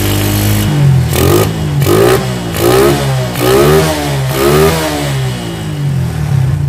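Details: Shogun 110 motorcycle after carburetor cleaning and service: the small single revs up and drops back about five times, each rise clean and returning to a steady idle, so the engine runs properly.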